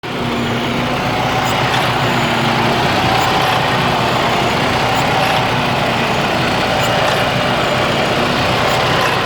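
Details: 2009 Freightliner Cascadia, Detroit DD15 diesel, around 800,000+ miles, idling: loose, uneven clatter with faint irregular ticks over the rumble; has always idled this way, shop called it normal; rough idle, cause not pinned down.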